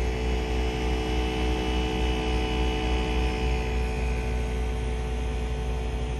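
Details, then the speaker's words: Acer Nitro 5 laptop CPU/GPU fan: low rumble with steady tones that grows louder as fan rpm rises. The cause was four wires contacting the fan blade, and the fix is fan replacement. "it sounds like a small rumble when the pc is idle as soon as the rpms pick up it starts to get louder and more noticeable"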